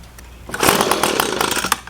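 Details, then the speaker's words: Echo PB250LN handheld two-stroke blower, hot at operating temperature, full tank: revs harshly then stumbles and cuts out past half throttle; bogging when hot, cause unconfirmed, fixed later with tune-up kit. "got up to running temperature and as soon as I get to pass about half throttle and I try to keep squeezing it it just it just cuts out"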